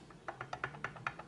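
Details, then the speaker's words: IOGEAR Thunderbolt 3 Docking Station Pro GTD735, aluminum body with plastic triangle-pattern side panels, shaken: quick light plastic clicks about five a second; one side panel loose, rattling on the aluminum. "So the plastic kind of wiggles a bit on the aluminum. Not on this side, but yes, on this side."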